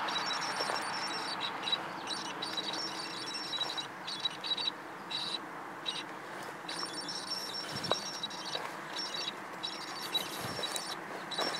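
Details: Canon 650D with a Canon 18-135mm STM lens, image stabilizer on in video and photo mode: a thin high-pitched whine and buzz that cuts in and out, an abnormal IS noise.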